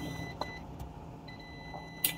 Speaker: you can hear. That means this power rail short to ground.